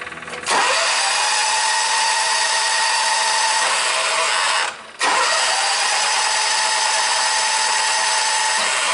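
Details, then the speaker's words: 1998 John Deere 6x4 Gator, Kawasaki engine, crank no-start, cranked with scope on compression and ignition: fast even starter whirr with no firing, brief pause, quick re-crank temporarily builds pressure; breathing (valve) fault. "you'll notice I let off without halfway through and then give it a quick crank again and we were actually able to temporarily build pressure that's further leading me in the direction that we had already established that there's a breathing fault of some type"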